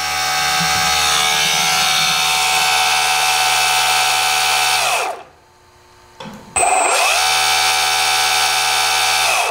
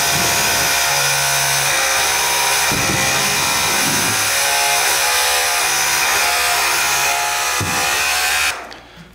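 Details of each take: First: RC4WD Earth Digger 2 RC excavator hydraulic pump driven by an outrunner motor believed to be about 450 kV: loud, steady high whirr that winds down, stops, spins back up; normal noise, from the pump not the motor. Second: RC4WD Earth Digger 2 RC hydraulic excavator, pump running while the arm is forced against its travel to push air out the bleeder valve: loud steady whir with uneven surges and dips; air in hydraulic lines.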